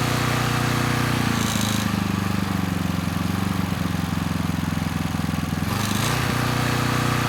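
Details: Coleman Powermate Pulse 1850 generator (PM0401850, 1996 engine 93412-0136-01) after carburetor repair, no load; even steady drone at constant slightly low speed, no misses or knocks, normal running; needle may let extra fuel drip.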